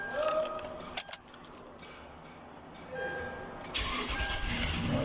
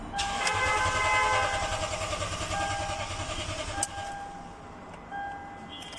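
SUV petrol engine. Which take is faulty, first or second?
second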